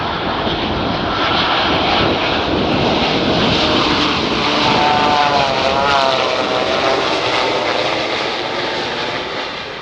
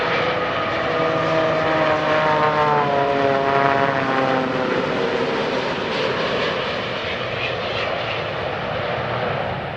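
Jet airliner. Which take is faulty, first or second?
second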